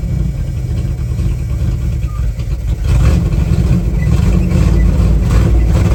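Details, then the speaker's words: 1978 Dodge Adventurer Power Wagon, 318 V8, automatic, 4WD, on its first start in over a decade: a steady low idle that deepens and firms slightly as the transmission engages reverse and then drive, then settles smoothly. Normal engagement. "Oh yeah, we got I got reverse. Oh yeah, we got drive."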